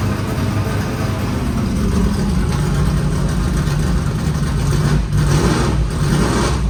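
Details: 1989 IMSA GTO Corvette V8 just started after 3 years, rear raised: deep, steady rumble with a brief rev blip, firing evenly with no misses or knocks; normal idle.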